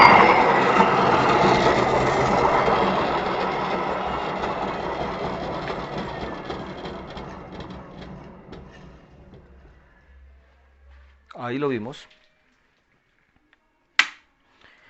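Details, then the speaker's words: Electric motor before maintenance, microphone held close, spinning in reverse and then forward: a rough, gritty rumble as it stops quickly; the bearing is badly damaged by humidity and should be replaced. "esa es una condición Clara de que un motor bastante afectado por la humedad el rodamiento en especial está bastante afectado es mejor reemplazarlo"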